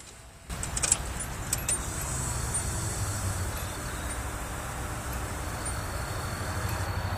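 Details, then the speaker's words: After Walbro fuel pump install, key on without starting: click then a faint, steady electric hum for several seconds; fuel pump primes normally and works. "I'm going to let the uh fuel pump Prime you should be able to hear it"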